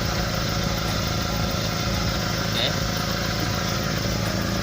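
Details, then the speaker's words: SS pickup at idle: a deep, uneven puffing rumble ("ngorok") from a leaking exhaust pipe, with an old weld patch nearby. The leak shown is one cause; the worst leak is at the rear underside. "Nah itu bocor ya. Itu satu ya penyebabnya, dari sana bocor."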